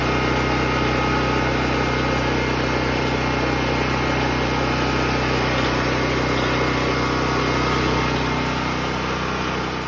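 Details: Predator 6500-watt portable generator, choke moved back to run, stabilized before circuit breakers turned on; smooth constant hum at fixed speed with no surging, misses or knocks; running healthy.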